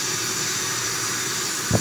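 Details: 1960 Electrolux Automatic Model G vacuum with power nozzle, run after over a month unused; smooth steady airy motor hiss at even pitch, one brief handling bump: runs great, normal running.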